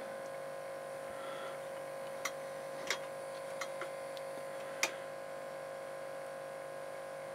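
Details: Realistic LAB-2200 turntable (1987) 12V DC motor, date code July 1986, just oiled with 3-in-One on the shaft and left to run in: faint, steady, even hum with a few stray clicks; running smoothly and healthy.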